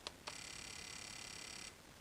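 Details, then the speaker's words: Fuel injector off the engine on a cheap pulse tester in medium mode, no fuel pressure yet: single click then very fast, even buzzing chatter for about 1.5 seconds as the injector fires rapidly; operating normally. "it fired that fuel injector really rapidly a bunch of times"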